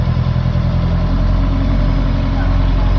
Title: Impreza STI GVF Cold Start idle 20241004-1 spun bearings ? knock?